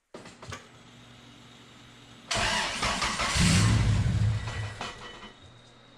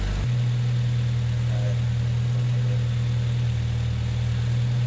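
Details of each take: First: 1993 Honda Accord CB7 with an H22A, first start after a power steering pump swap, pump filled while turning it to limit air. Cranks and catches, then a heavy, labored drone as if under load, which fixes itself. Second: 1993 Honda Accord CB7 with an H22A, with a balance shaft delete, idling after a power steering pump swap. A steady, even idle and smooth low hum with no pump whine, groan or squeal; healthy.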